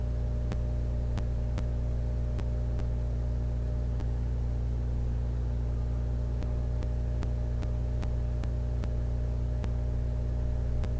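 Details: Xbox with a Fellowship of the Ring disc that has only minor superficial scratches: a low hum with irregular sharp ticks about twice a second as the drive keeps seeking and never loads the game; cause unconfirmed.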